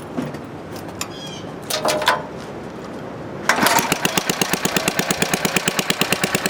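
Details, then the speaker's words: Rare 1952 Briggs & Stratton 5S hand-lever-start engine after restoration and spark plug change; a few pulls, then it catches and settles into a steady, even putter about three firings a second, running clean without smoke. "There you go. So it's actually a good runner. It doesn't smoke."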